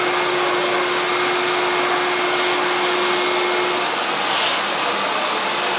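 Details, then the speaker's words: Hoover SC364 Vogue 1300 vacuum cleaner, apparently Vogue-based, unboxed before restoration: even, high rushing whir with faint steady tone, no rattle or labouring; motor sounds fine, no problem. "I'm not taking the motor apart or anything like that because the motor to me sounds fine there there's no problem with the motor"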